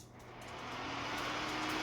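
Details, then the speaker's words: Cab heater after resoldering connections and inline fuse, bench-tested on a Ryobi battery in fan mode; quiet start then airy rush and steady hum as blower spins up, fan and light working, repair successful. "it does indeed work, and we can hear the fan going, and the light is on the unit."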